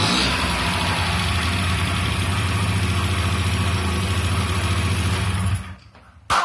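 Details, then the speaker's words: 1995 Honda Elite 50cc (SA50P) scooter, first start after no-spark diagnosis pointing to a bad ignition coil: buzzy two-stroke settles into a quick, fairly even putter, then shuts off; running fine. "oh so wheat it actually starts that's the first time i've had this thing started ever since i rescued it from the trash so cool"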